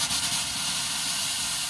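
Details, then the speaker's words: Compressed air purging the thermostatic shower valve lines while winterizing a 2021–2024 Winnebago Revel with the Overland Design-Build HydroLink plumbing panel, valve turned full cold then the other way; steady bright rushing hiss with no sputter left, a normal purge. "let that all purge out, and then turn it in the opposite direction."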